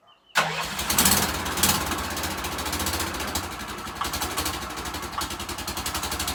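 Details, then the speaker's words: Gas golf cart before repair, blown exhaust gasket: cranks and catches, extremely loud raw idle with sharp puffing ticks at the exhaust; exhaust leak. "this thing is Extremely Loud right now"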